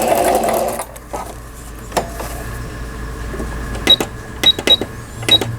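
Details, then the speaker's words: Singer 6180 sewing machine after repair of the needle-bar support and twisted shuttle-race shaft. A brief chatter, then light, even needle clicks while stitching, with no grinding or knocking; the reverse button and functions work. Normal stitching. "예, 바느질 하다가도 보진 버튼도 정상 작동되고 있고, 예, 각종 기능들 바느질 잘 돼서 수리가 잘 됐습니다."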